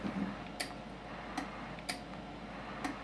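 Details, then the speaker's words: D & A Maverick 250 vintage tube linear amplifier: four sharp, distinct clicks over quiet background as the amp is keyed; the changeover relay switching normally. "You can really hear it clicking. Maybe you guys can hear it on the video, but a lot of transistor amps, you can't hear that relay quite as distinct as you can this Maverick."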